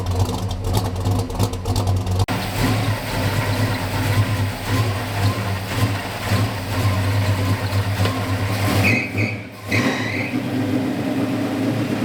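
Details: 1969 Dodge Charger V8 that sat 34 years, post cam swap, likely still on break-in oil, timing never dialed in, carburetor acting weird: revs unevenly, the note stumbling and surging instead of pulling clean; runs rough, cause suspected, not confirmed.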